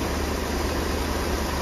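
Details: 1966 Ford Thunderbird, about 68,000 original miles, engine reassembled after sitting about two years and running on old gas. It idles with a quiet, even rumble under a steady hiss, with no misses or mechanical noises: a normal idle.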